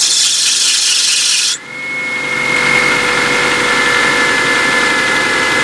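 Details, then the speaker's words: Mazda 626 started after the ignition coil pack was reinstalled and the plug wires reconnected. It catches and idles smoothly, but a steady high squeal rides over it; the owner says the belt or pulley needs tightening. "Okay, it works, and as you can hear, the belt needs tightened, the pulley or whatever, but it's a smooth running engine."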